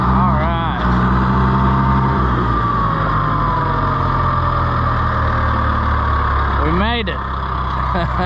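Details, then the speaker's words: International IH 584 diesel tractor after clearing trash from the fuel line's 90-degree banjo bolt elbow: steady, even diesel chug at low idle, no misses or knocks; runs smoothly, normal idle. "well luckily we were able to get the little IH going again uh all it ended up to be as you could see was trash in the uh fuel line in the 90 degree banjo bolt elbow"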